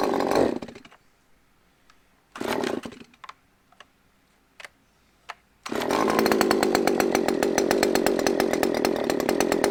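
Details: Used Husqvarna chainsaw said to need carb work, started on choke: fires after a couple of short bursts, then fast slightly uneven two-stroke buzz; sounds rough, probably needs a carb tune.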